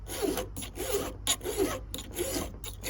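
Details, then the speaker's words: Chainsaw chain being hand-filed: even rasping strokes, roughly ninety a minute, with no squeal between them; the file is held at the correct angle, not straight across the rakers. "It's not squeaking. It's because guys file their rakers straight across like this."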